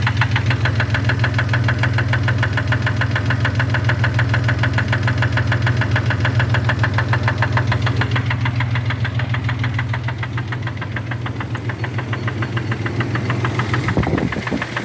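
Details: Running car engine with a steady, sharp knock at about three to four beats a second; owner suspects rod knock, not confirmed.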